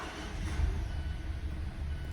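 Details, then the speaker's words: Mazda 2.5L engine (Mazda3/6/CX-5/CX-9, 2014-2023), first start in winter after replacing a roughly four-year-old battery that read about 12.2 V and cranked poorly; deep even rumble settling quickly into smooth idle; normal start. "well that sounds much better this time around than it did before"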